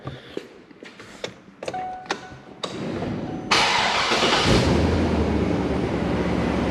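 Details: Large Chevy truck, cold morning start: a few clicks, then the engine catches instantly on the first try and settles into a steady, even fast idle; healthy cold start.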